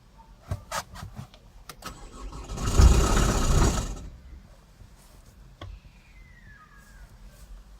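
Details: Chevrolet Cruze 1.7 diesel: about a second of cranking with a dry metallic rattle, engine never starts; clutch pedal sticks when it does start, flywheel known to need replacement.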